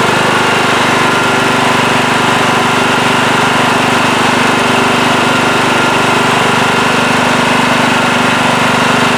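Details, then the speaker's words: Late-1990s Scotts lawn tractor, single-cylinder Kohler, had surged after sitting for years; after carburettor cleaning and rebuild it runs steady with no hunting, smooth at low idle, perhaps a slight hiccup left. "yes seems to be running a lot better now when i first fired it up it did have a little bit of a surge and maybe it still has a slight hiccup but it's pretty good really smooth there low idle also that feels a lot better"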